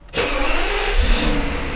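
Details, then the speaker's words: Mercedes SL600 V12 with hydraulic suspension: quick crank, catches cleanly and settles into smooth, even idle with no knocks or misses; normal healthy start, sounds like new. "God, it sounds like a brand new one."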